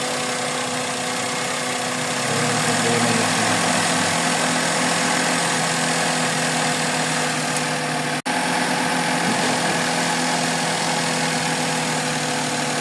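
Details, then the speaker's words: Suzuki Celerio with engine misfire complaint, idling with air conditioning on: uneven wavering exhaust beat with a brief cut, idle keeps changing; cause not yet found; rough idle. "Ayan oh meron pa rin siyang problema Ayan oh nagbabago-bago"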